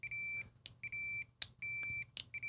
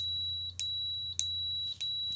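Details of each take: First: Fluke 287 multimeter on a continuity test. Probe-contact clicks are each followed by a steady shrill beep that starts a noticeable moment late. The continuity buzzer responds sluggishly. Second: 34401A bench multimeter on a continuity test. A clean, high, steady beep sounds instantly at each of four quick probe contacts, with no lag. The response is normal and fast.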